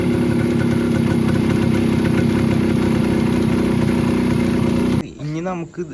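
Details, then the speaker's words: Bajaj KB100 two-stroke with original Mikuni carb, before carb tuning: slow running not yet set, burbles at a fast idle with an uneven, wandering beat, then cuts out; poor idle. "ഇതൊന്നും tune ചെയ്തത് full ആയിട്ട് ready ആയിട്ടില്ല mileage കിട്ടുന്നുണ്ട് പക്ഷേ അതിന്റെ slow working കാര്യങ്ങൾ ഒന്നും ready ആയിട്ടില്ല"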